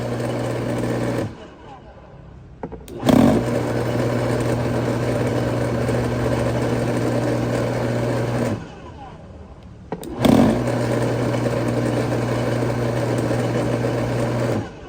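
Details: Bosch AXT 2200 garden shredder motor; it hums up steadily for five to six seconds, drops out, then restarts with a thump, running only while the switch is held. The cause is dirty switch contacts.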